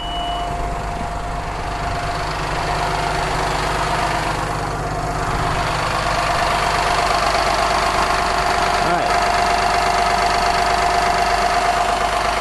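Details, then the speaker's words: Cummins 8.9 L diesel RV engine after fuel filter replacement, raised to high idle about 1000 rpm via cruise control: steady even clatter, no hammering or misses; running smooth, check engine light appeared during job. "She's running smooth. I don't hear the hammering."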